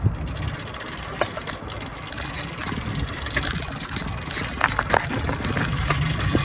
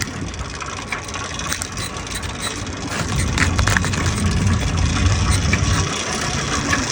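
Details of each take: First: Neglected used motorized bike/moped being cranked after swapping the CDI for a smaller-engine unit; rough, uneven scuffing and rattling with no firing catch, no-start later blamed on the carburetor and old spark plug. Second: Restored motorized bike/moped two-stroke after clutch rebuild and new spark plug, third start attempt of the day; quiet cranking, catches around three seconds and settles into a steady busy buzzing run, normal running.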